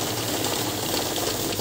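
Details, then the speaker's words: OLC Prime note counting machine restarted after stopping on a detected fake note: fast, even rattling flutter of notes feeding through at steady pitch with no catches or jams; counting normally. "उसके बाद क्या करना है आपको, यहां से start करेंगे, counting चालू हो जाएगी।"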